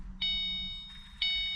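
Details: 2005-09 S197 Mustang GT 3V, used six-gauge instrument cluster just swapped in for the four-gauge, key on, engine not started: two bright high chimes about a second apart over a quiet cabin, the door-ajar warning during cluster system check.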